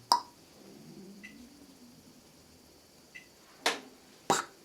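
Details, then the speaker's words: Off-grid solar inverter switched on from the battery bank: sharp pop, faint ticks, then two hard clicks; owner suspects capacitor inrush, and the battery then shows a discharge short-circuit protection error. "So if I now switch it on, it will give a short circuit in turn, because he get the first time now energy from batteries, and he has to fill up the condensators, I think, with energy until he can work, because in the first moment he cannot work."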